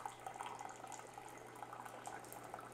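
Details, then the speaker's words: Keurig B70 K-Cup coffee maker after cleaning out a clog and the bottom needle, flow test before reassembly: soft, even trickle of water over a low electrical hum; water runs freely, normal brew flow restored. "I want to make sure that um that we got flow so oh there we go so satisfying"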